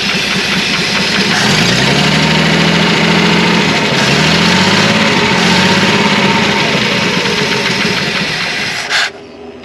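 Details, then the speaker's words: Classic Ford F150 300 inline-six, sat about 29 years, cold first start after fuel added; loud uneven lumpy idle with good oil pressure, one cylinder sounds weak and not pulling its weight, cause unconfirmed. "you got a little knot check oil pressure pretty good oil pressure that one cylinder's a little ooey though"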